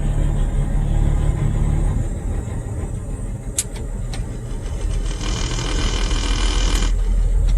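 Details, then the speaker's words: 1978 Ford F100 with 300 straight six and four-speed, just bought, started in neutral: catches right away with no hesitation and settles into a low, steady idle with no misses or stumbles; sounds good, engine healthy. "there was the radio she sounds good"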